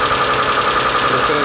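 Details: Mitsubishi Galant 8 with a 6A13 V6, 20+ years old, just restarted after replacing the hydraulic lifters: fast light ticking over a busy idle, expected to settle as the lifters fill with oil. The alternator belt occasionally whistles.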